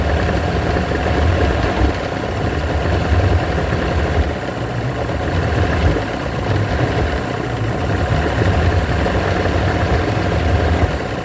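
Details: Evinrude V4 120 two-stroke outboard with a low, wavering idle that runs rough, smooths out, then roughens again. Rough unstable idle.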